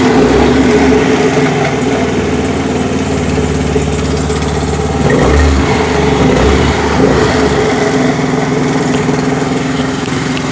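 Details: Honda Activa 4G scooter: loud, rough drone at idle that swells when blipped, worse on starting and pulling away; noise comes from a damaged speed (variator) pulley in the CVT.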